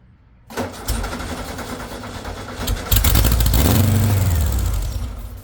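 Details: VW with a straight-pipe exhaust, first startup on starting spray; no fuel pressure, possibly a bad fuel pump not yet primed. Short crank, then uneven revving before sagging away; oil pressure rose to 40. Runs only briefly on starting fluid.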